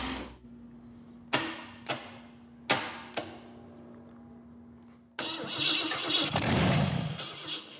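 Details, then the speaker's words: First start of 454 engine in 1951 Henry J custom build with different coil: a few short cranking bursts, then catches and settles into steady even idle, no knocks or misses; sounds like a good engine. "you're not even gonna need that fire extinguisher today I think you're good to go sir I'm very happy with that that sounds like a good engine"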